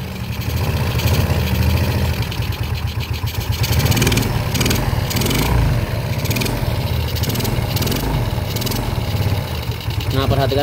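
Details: Yamaha Jupiter Z single-cylinder engine after rebuild, oil refilled and reaching block and head; fires up and settles into a steady, even putter with throttle blips, no knocking, very smooth compared with before.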